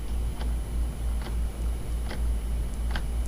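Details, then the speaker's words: Orion DPL xx16G telescope azimuth slew motor at rate 2, heard at the housing: a sharp click about every 0.85 seconds over a low motor hum, once per revolution in either direction. It causes non-smooth azimuth tracking, while the elevation motor is silent. "you can physically hear the click in the housing when you slew the motor in either direction"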